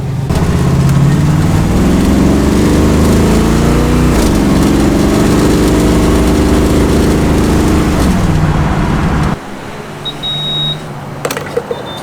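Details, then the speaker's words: 1965 Cadillac carbureted V8 with a new carburetor, after idle mixture retuning: a deep, even note that revs up cleanly and settles without stumble or miss. Much smoother than before. Smooth running. "Already I can tell it's better. It's really a lot smoother than it was."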